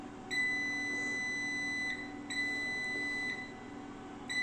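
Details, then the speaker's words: 3 kVA online UPS won't turn on, battery indicator blinking, fault persists after all batteries replaced: sharp 2 kHz beep about 1.5 s, pause, repeating steadily; battery fault suspected from control card or another board; UPS battery fault alarm. "তো এর মূলত সমস্যা হচ্ছে battery fault, যেটা card থেকেও হতে পারে, আবার নোসপ্যাড থেকেও হতে পারে।"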